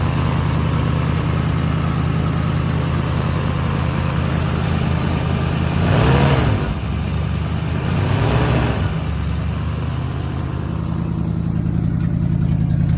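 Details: Classic Sunliner V8 after carb cleaning, float adjustment, new starter and exhaust leak repair with sealant; steady even idle with two clean throttle blips, no ticking or puffing at the pipe, sounding sealed and healthy.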